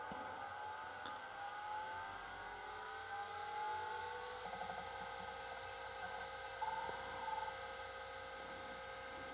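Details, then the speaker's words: Atari Megafile 30 hard disk for an Atari 1040 ST, of unknown condition, powered on. A clean whine climbs as the platters spin up, then holds an even, jet-like tone with no scraping or clicking; normal spin-up and running. "Yeah. So, this sounds and operates uh normally to me."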